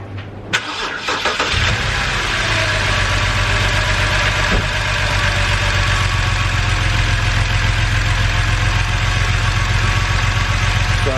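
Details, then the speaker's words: BMW N52 inline-six petrol engine cranks, starts and idles slightly lumpy with a light misfire on one cylinder, suspected number 5. "you can hear it's running very lumpy and it's misfiring. Now this is a very light misfire, bearing in mind it's only misfiring on one cylinder."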